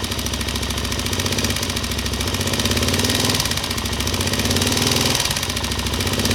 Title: ticking noise in head ltz 400